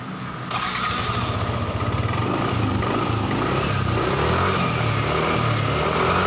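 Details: Yamaha NMAX scooter after repair of poorly connected sockets and a loose cable that caused no-start and cutting out: brief starter whirr, engine catches at once and settles into a steady, even idle; starts easily, runs smoothly.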